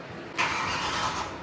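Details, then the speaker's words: BMW E92 M3 V8 after major engine repairs, first turnover before start via start-stop button: starter spins engine at an even, steady pace with no clatter or hesitation; cranking sounds good. "cranked. It sounded good."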